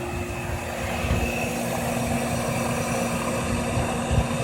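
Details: Owner's own 15-year-old Trane Weathertron heat pump outdoor unit, original condenser fan motor: steady even hum, constant low drone and faint fan whoosh, no knocks or rattles; normal running.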